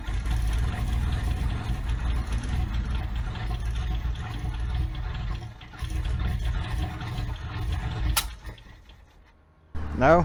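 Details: Abandoned Toyota AE86 with the timing retarded, after capping the PCV tube for suspected excess air: uneven low cranking for several seconds that fades out without a single firing. The engine won't start.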